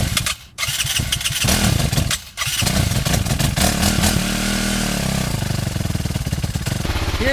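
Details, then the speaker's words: Kawasaki KLR650 single with a broken choke linkage that doesn't return: fires up, then the idle thumps unevenly, surging and sagging. Owner suspects a vacuum leak from the linkage and plans a new choke and an air pilot screw. "the jumpiness of the idle? I'm thinking that's like a vacuum leak caused from the crappy choke linkage."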